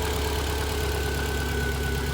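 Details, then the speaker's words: Built Subaru STI first start on a new base map, checking for coolant leaks: smooth, even idle with steady low rumble, no ticks, knocks or misses; engine healthy. "so smooth shout out to Josh for the immaculate base map nailed it first try"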